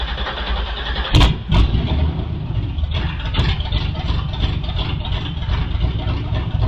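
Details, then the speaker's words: Newly built 6.2L L86 Gen V LT V8, Holley Terminator X EFI, BTR 225 cam, first start with coolant, open headers, no O2 sensor: deep loud rumble fires up and settles into even idle, no misses or knocks; healthy. "it's just a good feeling to hear this engine run it actually isn't terribly loud even though the headers just dumped straight to the floor uh it's not as loud as I was expecting"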